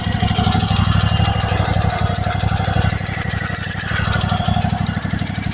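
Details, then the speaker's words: Small lawn mower–type engine at idle: a sharp hiss rides on each firing pulse and is loudest on shutdown. Gases escape externally through a blown head gasket, reducing compression and power. "That's the sound of the gases escaping the head gasket externally. That's an externally blown head gasket."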